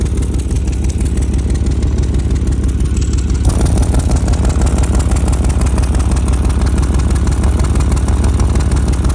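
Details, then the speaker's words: 2000 Chevy Tahoe Z71 V8 with 188,000 miles at idle, heard underneath: steady low rumble with a rhythmic puffing tick from an exhaust leak under the engine, grass moving at the leak spot. "hear that noise quiet underneath here but it's coming from right here yeah it's coming from right here CU you can see them the leaves and stuff I mean the grass moving"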